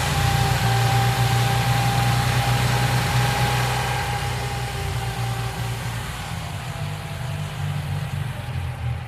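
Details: 1995 Geo Metro idling: a light, quick ticking rides over a steady small-engine hum, typical of a noisy hydraulic lifter.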